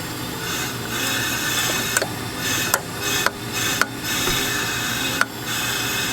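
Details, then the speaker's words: Honda Civic D16Z6 on a leak-down test: steady hiss of air with short breaks and clicks coming out the intake/throttle body, with nothing heard at the exhaust; the cylinder is leaking past the intake side, though the owner isn't convinced the engine is broken. "Let me go back to the exhaust to see if I hear anything in there. And I do actually I don't I don't hear anything coming out of there."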